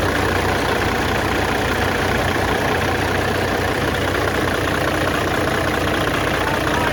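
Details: CAT C15 MXS truck diesel on its test run right after replacing the internal injector wiring harness, valve covers off, heavy rain hissing. It idles steady and even, barely heard over the low-air buzzer, with no misses or knocks. Normal idle.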